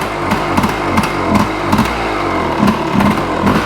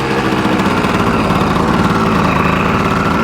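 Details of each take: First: 1986 Yamaha Tri-Z YTZ250 two-stroke three-wheeler, cold start: primed, choke pulled, fires on one kick. Busy, slightly uneven burble with occasional pops while still on choke. Normal cold idle. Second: Original 1986 Yamaha Tri-Z 250 two-stroke, warmed up: fast, buzzy, steady idle that never dips or settles, idling too high. Mixture screw suspected set too far out, but this is not confirmed.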